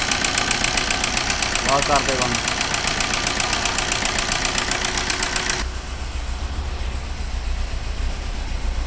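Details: Maruti Suzuki Ritz engine: fast, fairly even knocking about four per second over the idle, then a quieter run; abnormal engine knock, cause suspected, not confirmed.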